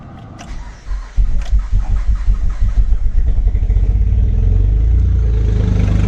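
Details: Acura 3G TL Type S J35 V6, second start attempt after front cylinder head resurfaced and reinstalled: cranks, catches and stumbles into a lumpy, ragged idle; owner suspects rear head gasket also blown, or front still faulty, coolant entering cylinders.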